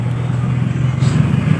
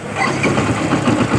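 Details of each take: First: Yamaha Byson motorcycle, starter relay bypassed by jumping the two big cables: low, labored starter whir that turns heavily and slowly, never building speed; owner suspects a weak battery or a faulty starter motor coil. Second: Yamaha Byson after starter motor brush replacement and a Honda Supra starter bendix substitute, voltage dropping only to about 11 V when cranking: brisk, even starter whir, engine catching and settling to idle, no dragging or clicking; normal electric start.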